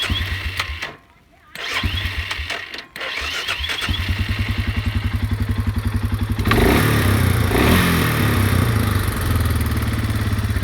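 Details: Suzuki Eiger 400 that wouldn't start the morning after being parked, despite a new petcock and coil, rebuilt carb, adjusted valves and cleaned tank: rhythmic cranking at about four chugs per second, pausing, then a louder burst; hard starting, though it runs well once going.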